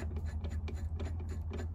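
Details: VW Passat B5.5, car jacked up, CV axle moved by hand. Quick dull clicks, about four a second, over a low hum; the CV boot is also bad. Worn CV axle play.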